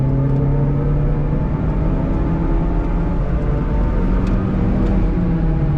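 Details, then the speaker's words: Stock 2009 Chevrolet Cobalt SS turbo four-cylinder, driving at around 100: steady low drone under the road rumble, even and unchanging; owner attributes it to a noisy wheel bearing with no wobble. "Granted, you got to deal with that sound of the wheel bearing, but a lot of people will probably think I shouldn't be driving it like that, but there's no wobbles to the wheel bearing or anything. It just really makes noise."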